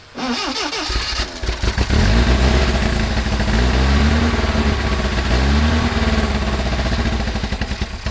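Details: 1979 Lotus Esprit, mid-engine, long sitting, fresh gas added, clear fuel filter showing flow but old fuel suspected gelled; engine catches and runs unevenly, lumpy, surging, fading and sputtering: rough running and stalling, uneven fuel delivery suspected.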